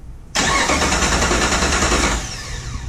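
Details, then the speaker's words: Salvage Jeep TJ engine with a no-start condition, cranked by a remote starter button before removal: the starter spins it at a steady quick churn for about two seconds and it never catches. Crank, no start. "so let's see if it does what it's supposed to so when we turn push this button it should turn the engine over"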